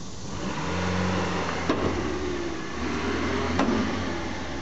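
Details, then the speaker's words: Honda at idle: two loud, sharp clunks from the rear, caused by a rotten rear subframe with a hole cracked all the way through and a broken strut mount. "well if you guessed a rotten rear subframe and a broken strut you would have been correct first off the strut is right here here and the mount is broken second off you can see the rear subframe here has a hole in it and it's cracked all the way through"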